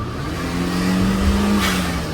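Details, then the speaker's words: Turbo Daihatsu Mira: engine revs then a short sharp whoosh of boost venting cleanly as the throttle closes; this blow-off valve sounds the most like a BOV and is being kept, while the BLITZ one is thought to be a leaking dud. "But as of right now, I like this. Yeah, that one sounds the most like a blow valve."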